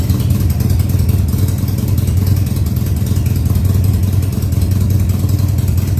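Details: 2000 Harley-Davidson Sportster 1200 Custom, first start after sitting six years under a tarp: after several throttle-held runs, it holds a steady, deep lumpy V-twin high idle with no knocks or misses; oil tank then checked and found full.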